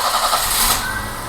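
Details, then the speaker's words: BMW E30 idling with a faint steady hum coming from under the distributor cap, after new cap, rotor and O-ring, during diagnosis of idle issues; cause not yet confirmed, possibly the distributor. "I heard a bit of a humming noise at idle so I'm going to fire it up see if I can Rec create it for you guys and show you but it is coming directly from the distributor cap underneath the distributor"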